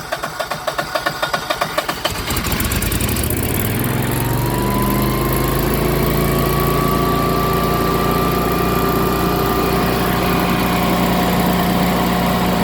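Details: Generac 22K Guardian air-cooled propane standby generator, manual start after the faulty LP regulator was dealt with: starter cranks about two seconds, then it catches and runs steady and even with no stumbling; fixed, normal running.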